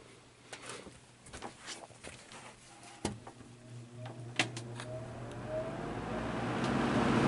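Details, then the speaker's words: Vintage Brentwood box fan rescued from the trash, not yet oiled, heard from the side: scattered clicks and rattles, then a tone slowly rising in pitch as the blade reluctantly gets going; slow start-up, owner suspects it needs oiling. "you can really hear the startup zone from this side"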